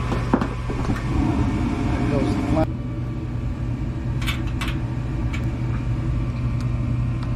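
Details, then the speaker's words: Furnace blower motor running after the draft inducer starts: steady low mains hum with an uneven undertone. The motor needs replacing, and the capacitor, fitted in 2018, is probably worn out too. "And there we hear the hum of the uh motor, but it just does have little sound to it though, too."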